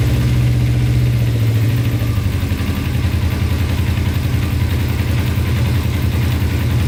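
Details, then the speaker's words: Cheap non-running Kawasaki Ninja sport bike, sat long, oil level good, choke fully off: settles from quick rev into smooth steady idle, even firing, no knocks or rattles; normal revving. "Wow, that sounds really good. Choke is all the way off."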